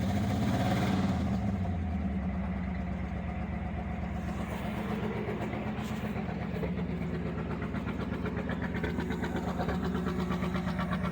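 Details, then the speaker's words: 1975 Ford Granada V8 after years of neglect, idle turned up, choke used, no accelerator pump, EGR gasket gone: uneven lumpy idle with dropped firing strokes; still missing on a cylinder, little smoke. "Still missing. Not a lot of smoke though."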